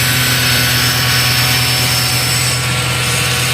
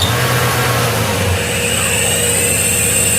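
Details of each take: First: Iveco alternator with a freewheel (overrunning) pulley, on a bench test under charging load: an even, steady whir with no slipping or chirp; the pulley is holding and the alternator is charging normally. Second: Iveco alternator with overrunning freewheel pulley on bench with battery and lamp load: steady hum with faint uneven chatter about three per second as charging starts; pulley slipping, rotor likely stopped, lamp stays lit.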